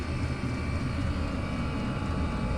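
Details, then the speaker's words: Diesel heater in garage after fitting an ultra-quiet fuel pump to replace the ticking one: deep, steady blower motor roar with no fuel pump ticking or clicking; heater running quietly and properly. "all you can hear is the raw of the uh the motor and yeah I'd say that's worth doing guys"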